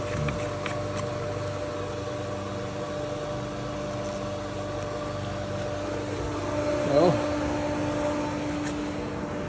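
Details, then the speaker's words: Motel pool pump/filter system switched to the vacuum hose line for vacuuming: steady motor hum with hollow churning rush and no solid water load; pump has lost prime and runs air-bound, air to be let out at the fill area. "Now you see we lost time. We can let some air out right here on the back on the fill area up."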